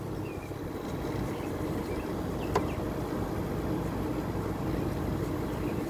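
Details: Window air conditioner running. An even, steady hum with a soft airy rush at constant pitch, no rattles or grinding. Running normally.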